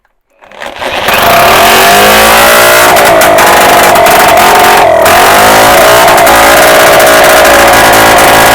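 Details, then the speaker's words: Solex moped engine after bottom-end rebuild, spun up off the frame with a drill: settles into a clean steady buzz, revs much more freely, no knocks or suspect noises, healthy. "cadre bon ben voy voyez déjà il prend beaucoup mieux ses tours ça c'est certain il y a pas de bruit suspect donc il y a pas de souci"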